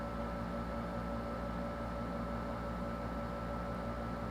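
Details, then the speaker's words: Original-model PlayStation 4, microphone up close, after 14 minutes running: steady whirring fan with a thin whine growing louder and higher; dust buildup and old thermal paste on the main chip suspected; loud cooling fan. "And now after 14 minutes, it's really loud. And that's just not correct."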